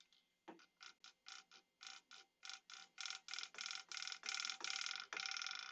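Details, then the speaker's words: Over-10-year-old stock steering servo on a nitro RC car: rapid buzzing chatter in short bursts about three per second, growing louder and longer; worn steering servo, to be replaced. "isn't it the second server yeah but they're both like over 10 years old and you guys heard how loud that servo was"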